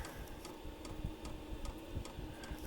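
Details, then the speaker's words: Vevor 5kW diesel heater first startup around -1°C on a lawn tractor battery, fan ramping up: light regular ticks two or three a second over faint hum; normal fuel pump pulsing, expected to quiet once running. "heard a lot of people talk about these things the pumps being noisy but to me that's not all that bad and from what I understand they quiet down quite a bit once they get going"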